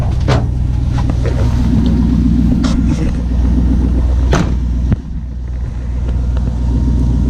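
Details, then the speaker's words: 1980 Chevrolet C10 with 5.3 LS swap, last start before cam and valve-spring swap, warming up: deep, steady V8 burble at idle with even beat, no ticking or knocking; normal healthy idle, baseline exhaust sample. "Still starts. Good sign. Do a little quick walk around while it warms up."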